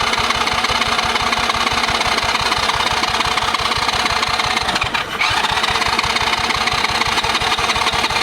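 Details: Cheap Chinese kids quad that sat for years, fuel poured down the carburetor after bump-start attempt failed: steady cranking about three strokes a second, no firing; no start, possibly flooded, spark plug found loose, carb may need cleaning.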